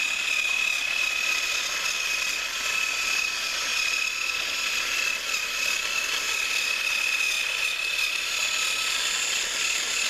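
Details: Thrift-store HiT Toys TrackMaster Percy after cleaning and motor repair, pulling two freight cars around the track: steady, even high-pitched motor whir with light track clatter, no stumbles or grinding. Normal running.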